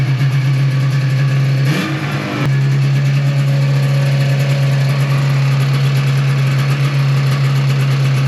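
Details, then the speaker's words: 1995 Yamaha Phazer 2 two-stroke snowmobile, rear end off the ground, running steady and even with one quick rev and clean return to idle after five years sitting, choke used; carbs were bone dry, runs healthy. "that's a little better I know it sounds like it's running pretty good well I don't think that was too bad for it sitting for five years"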